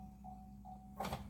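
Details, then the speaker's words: 2020 Chevy Bolt EV with propulsion power reduced, codes P1300 and U3634, and no air conditioning: a thin, steady whine under the hood with brief swells and a surge; not contactors, suspected AC compressor or HVAC, unconfirmed. "It doesn't sound like contactors. It sounds like something else. That does not sound good."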